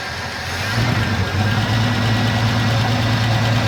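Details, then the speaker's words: 1984 Ford F-150 abandoned in the woods since 2008, first start in ten years on old pre-ethanol treated gas and a battery: engine settles into a steady even low rumble, no knocks or misses, running under its own power. "F-150, been sitting down here 10 years. Running under her own power."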